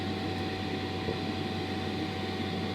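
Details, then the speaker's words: AutoTerm 4D diesel air heater, newly fitted in a VW Crafter camper and run on high from a Bluetti AC200MAX for a long test: a loud, steady fan-and-burner roar with a constant hum and no surging or popping. This is normal operation; it will be boxed in. "yeah, you can hear it's obviously pretty loud, but it will all be boxed in. I put furniture board all around the side here, and it doesn't run at this volume all the time. It's only because we've got it on high to try and get it to, yeah, run for a fair bit of time."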